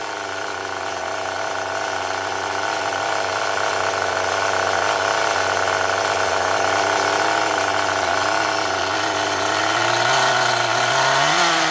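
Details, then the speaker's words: HPI Rush Evo T-15 nitro engine with the new glow plug, after the high-speed needle was adjusted: a high, buzzy tick-over holds steady on its own for ten seconds, lifting slightly near the end, without needing the throttle held. Stable idle. "and that's the high speed needle now we've got a tick over I haven't got to hold it anymore"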